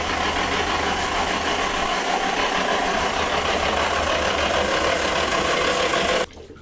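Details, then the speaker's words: Nissan Silvia with newly built forged-internal SR20 replacing a blown one, cranking on the starter with no spark plugs fitted to build oil pressure: steady, even whirring crank, no catches or grinding, cuts off cleanly; healthy cranking. "Ain't nothing to it but to do it. Here goes nothing. Building oil pressure."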